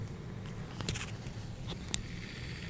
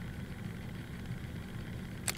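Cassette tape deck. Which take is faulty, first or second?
second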